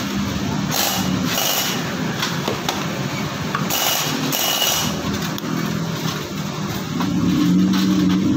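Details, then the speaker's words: Yamaha Soul GT scooter with noisy engine, oil nearly empty after three months without an oil change: harsh, clattery running with uneven rasping pulses over the idle. "untuk belahan motornya dari suara mesin berisik guys Coba kita dengarkan suaranya inilah suara dari mesin togp ya Siapa yang bermasalah guys"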